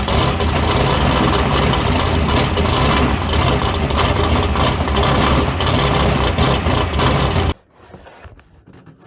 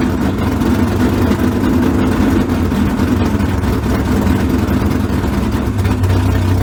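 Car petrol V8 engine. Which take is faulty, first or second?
first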